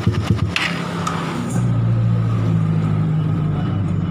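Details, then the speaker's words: Suzuki Satria FU motorcycle after replacing the damaged cam chain tensioner that caused rough knocking around the cylinder head: a few knocks at start, then smooth, steady single-cylinder idle with no ticking. Normal idle. "selanjutnya kita hidupkan dan kita lalu ini ini suaranya sudah halus sudah tidak berbunyi"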